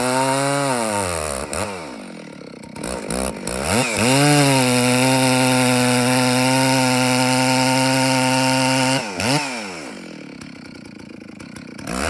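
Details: Rebuilt Stihl 064AV chainsaw still being broken in, mixture leaned slightly, cutting a large birch. It revs up, then holds a steady, slightly muffled pitch in the cut instead of a clean scream; it is still running rich.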